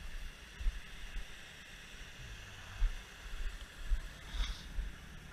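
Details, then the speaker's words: 1967 Ford Mustang, all original, idling: low, quiet, steady rumble with only light ticking, no smoke or exhaust leaks; a smooth, healthy idle. "can hear it's just running nice and quiet super smooth no checking no smoking I mean no exhaust leaks or anything it's just a super tight car"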